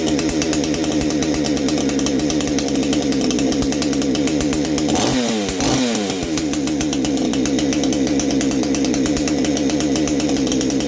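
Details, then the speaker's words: Baumr-AG 62cc Chinese chainsaw, new exhaust fitted, clutch bearing greased, carb screw at factory 1.5 turns; screaming steady high rev at full throttle, hard buzzy tone, one brief dip, note changing; may be slightly lean, owner plans richer adjustment. "There's a little bit more, so it sounds like easy tune. You hear it changing its note."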